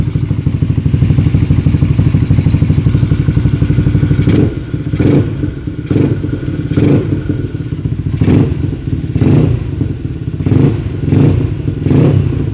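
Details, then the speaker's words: Freshly rebuilt up-spec moto engine (LC135/Y15 package shop), first start after remounting in the frame, before coolant fill, with the customer's Red Leo 3235 exhaust (uncertain): deep, even idle with crisp throttle blips through a loud exhaust; normal idle. "Dan kita dah cuba start. Alhamdulillah boleh start lah."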